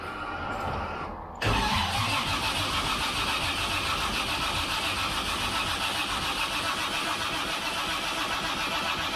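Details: Freshly rebuilt engine with forged pistons and rods, 10.3:1 compression, MSD, first start attempt, 45 psi oil pressure while cranking: steady starter churning without catching; crank no start.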